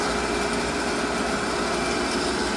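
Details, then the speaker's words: Pump motor running after fuse reinstalled with dielectric grease: steady, even hum with a faint high whine, no surging. Owner suspects a poor fuse connection caused roughness and water-hammer-like surging over the past week. "And actually, that sounds a little better. So, I think that not so good connection on that one fuse has been an issue for a little while, like a week or so. cuz that sounds smoother."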